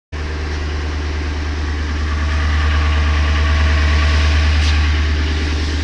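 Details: 2004 Ford Expedition Eddie Bauer, 5.4 L 2-valve V8 at idle: steady deep idle with an even knock about three times a second; owner suspects piston slap, same noise on another Expedition, unconfirmed.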